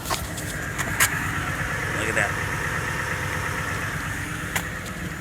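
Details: 3RU-FE V6 idles with an uneven, lumpy rumble and a periodic stumble from a misfire, reported as cylinder 7.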